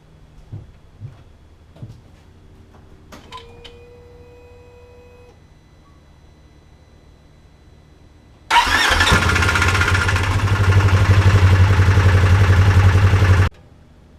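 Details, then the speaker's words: 2015 Polaris RZR 4 1000 (XP 4 1000) at start-up: quiet clicks and priming hum, then the engine fires and runs loud with a clattery rattle, happening almost every start; owner suspects the cam chain tensioner, to be replaced. "if your car sounds like this when you start it up you need to fix your camchain tensioner"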